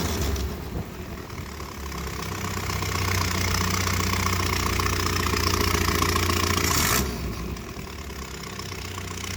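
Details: 1978 Triumph Spitfire 1500: loud chuffing idle swelling briefly with a throttle blip, like an old diesel tractor, began after a pop when revved after idling; owner suspects an exhaust leak, unconfirmed.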